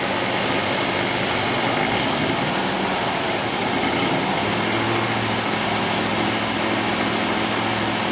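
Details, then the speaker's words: Ford V8 with EEC IV ignition after replacing distributor (plus cap and rotor), rpm raised slightly: steady even smooth run, no misfire; before, #2 cylinder and intermittent other cylinders misfired. "all right great no misfire at all uh next thing i'll show you is the hip and spout and coil current signals again you hear how nice and smooth this is running"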